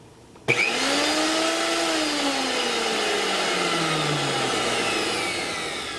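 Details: Mixer grinder brought from India about two years ago, after broken coupler replaced with a spare and power socket fixed: motor snaps on to a clean, high, steady whine, then winds down smoothly, no rattle or grinding; healthy.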